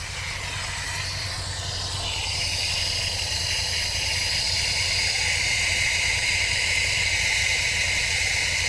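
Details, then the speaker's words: Supercharged MGB, Weber DCOE carb with 123 Tune+ distributor, at idle during tuning: loud steady hiss with a whistle that rises and settles. Owner suspects a vacuum leak; also backfiring and unable to tune. "I just couldn't get it to to tune properly. I was getting loads of backfiring and a a mad hissing sound."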